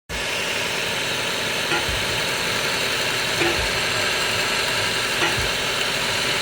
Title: Toyota Passo Engine Misfire Caused by Faulty Ignition Coil